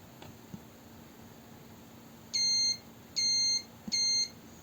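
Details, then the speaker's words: Apple Mouse A1296 repair, multimeter continuity test across the click-button pins: three clean, steady high beeps of about half a second, one per press; the click switch connects fine. "So click button is connecting under those pins, and when I press I hear that it connects just fine."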